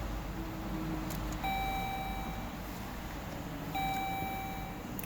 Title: 2015 Dodge Journey no start key not detected on dash